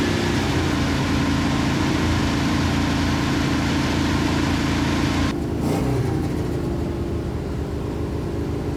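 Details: 1971 Plymouth Satellite with a 318 V8 and a shelf Thermoquad carburetor just fitted: a steady engine note, then a quick, clean blip and smooth return. The accelerator pump works and throttle response is snappy and normal.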